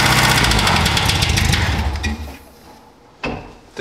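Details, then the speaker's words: VW 1200cc 40hp air-cooled engine, odometer 44k, first start on a 6 V battery: rapid rhythmic knocking, about four per second, before it dies away. Rod knock suspected, not confirmed. "sounds like a rod knock man I don't get it the odometer only reads 44k that seems a bit early for a rod knock"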